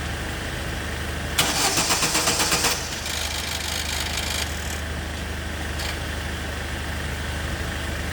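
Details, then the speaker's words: 2006 Opel Zafira that stalled while driving (fuel pump suspected): a short burst of rapid cranking cuts off after about a second, leaving a low hum; the starter motor engages on and off, suspected faulty. "mukhang may problema sa starter motor guys Yung kanyang starter motor is on and off on on off"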